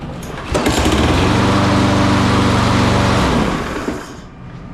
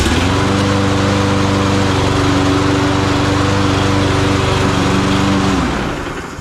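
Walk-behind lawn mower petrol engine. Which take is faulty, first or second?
first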